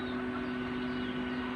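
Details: Electric fan that would not spin and only hummed, tested after the repair on speeds 1-3: smooth, even hum with a steady mid-pitched tone and no grinding or rubbing.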